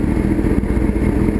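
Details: Street bike after starter rebuild (owner's starter had failed when hot), idling in winter: steady, even exhaust beat with no misses, clatter or grinding; normal idle.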